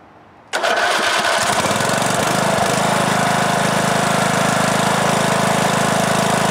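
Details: 2003 Simplicity Regent lawn tractor, Briggs & Stratton single-cylinder, stored unused for years, after new ignition coil and carburetor, choke on; catches within a second, steady even beat, starts easily and runs okay though blowing a lot of smoke.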